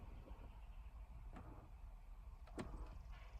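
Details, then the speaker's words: 2016 GMC Terrain with no heat: faint motor whirs and soft clicks behind dash as temperature knob turns; actuator works over only part of range, blend door actuator already replaced, owner suspects dash control; dealer later repaired. "And I can hear the little motor. I got nothing. Till there. So it only works from here."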